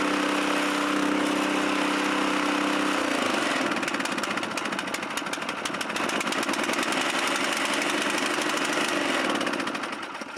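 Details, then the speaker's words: Chinese walk-behind track dumper bought broken at auction, untouched, dumping its water-filled bin: small engine holds a steady buzz, then chugs evenly as the dump loads it, staying smooth; healthy. "Well, that's cool. It actually dumps. So, that's cool."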